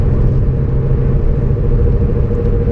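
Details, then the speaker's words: 2006–2007 Toyota Corolla driven at higher speed: steady deep droning growl under road noise, louder when steering left. Points to a worn driver-side front wheel bearing; axle to be removed to check the bearing by hand. "yeah if I turn to left I can hear more noise yeah yeah it is it is a driver side"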